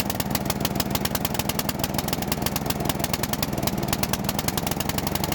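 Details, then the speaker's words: Bolens riding mower, sat for years, after carburetor cleaning, choke off; single cylinder thumps fast and rough, uneven and sagging, bogging; a new carburetor is needed. "I think that's going to be see how bogging yeah we need a new carburetor"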